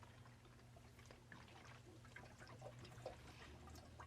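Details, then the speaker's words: Homemade workshop water heater after pump failure and replacement: once the thermostat is satisfied and the pump stops, quiet uneven trickle and gurgle of water draining from the coil into the bucket so it won't freeze; normal drain-back. "that's just the water's draining out of the coil so it goes down in the bucket so it won't freeze but that's the sounds of the heater"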